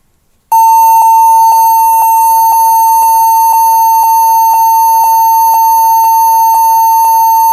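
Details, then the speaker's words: HP 14s-cf2 laptop at power-on gives shrill repeated beeps about twice a second, many times, yet still boots to Windows; owner first suspects badly seated RAM and plans to reseat it; stated fix is BIOS set to UEFI boot with GPT partition on HDD/SSD. "jadi di sini ada sebuah laptop kemudian dia laptopnya berbunyi BIP BIP BIP BIP itu e banyak sekali banyak berkali-kali"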